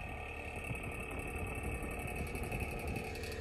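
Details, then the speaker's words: 1950s Polar Cub 8-inch table fan with a bad switch and oscillation that can't be turned off: steady motor hum with a fast, light, continuous rattle; something loose chattering as it spins. Tightening the guard bolts didn't help; cause unknown. "yeah it's not going to be entertaining to listen to it run like that so I'm going to see if someone out there can help me fix this thing"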